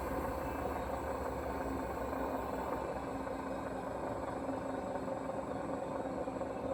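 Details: Hoover washing machine, 3.5 years old: constant heavy rumble with rough rattling throughout the run; owner unsure whether bearing or motor is the cause.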